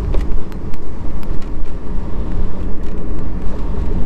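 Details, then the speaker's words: B5 VW Passat 1.8T, test drive after new coilovers set low, no rubber on rear cups: road and tyre rumble over steady engine, a few faint ticks, no clunks or clanks; suspension quiet. "See, I thought it would be really, you know, clinky and clanky without rubber on those back cups. Nope. It's not."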